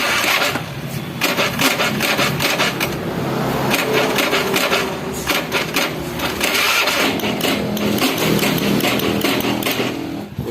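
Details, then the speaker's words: Honda Beat carburetor scooter, starter only clicks repeatedly without cranking though battery reads 12 V; fault traced not to battery or starter motor but to CDI starter relay, fixed by jumpering CDI. "Tegangan aki bagus ya, 12 volt, tapi dia tidak mau nyantol. Nah, jadi masalahnya bukan dari aki, bukan dari dinamo starter, tapi dari relay CDI-nya."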